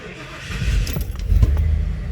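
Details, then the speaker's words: 1989 Ford F-250 7.5L 460 V8, hot start after a 15-minute drive, following a gear-reduction starter install and rewire to fix heat-soak slow cranking: short crank, then it catches quickly into an even rumble; clean hot start. "Yes, sir. All right, we can count that a success."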